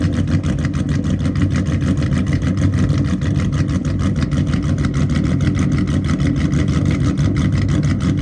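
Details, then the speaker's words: Dodge Charger SRT8 Hemi after broken axle, street tuning: deep uneven lopey chop at idle with steady lumpy rhythm of a big cam; engine healthy, no blow-by. "spitting this engine sounds so [Music] good no blow by baby it's a good running engine right [Music] here it's a good running [Music] engine"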